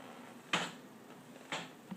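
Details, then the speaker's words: 2012 Honda CBR1000RR stopped in first gear with clutch pulled, rolled by moving the tire: sharp single knocks about once a second, newly noticed, gone in neutral; owner unsure whether normal. "um it happens when it's on first gear and I just hold the uh clutch and then once I move the tire"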